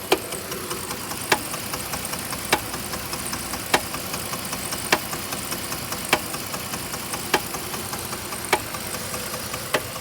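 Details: 3.7 liter V6 at idle: a sharp, evenly spaced knock about every second and a bit over a steady idle; owner seeks help diagnosing the engine knock.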